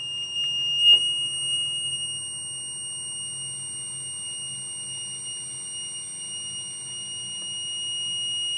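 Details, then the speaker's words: MPJA 35716 battery low-voltage alarm module set at 11 V, with the supply lowered toward about 7 V: a steady, shrill buzzer sounds continuously as the voltage drops. "so as it's going to just keep going to your battery goes down to says it goes down to 6 volts but I find reeling truly right around 7 volts you can definitely hear that the buzzer kind of"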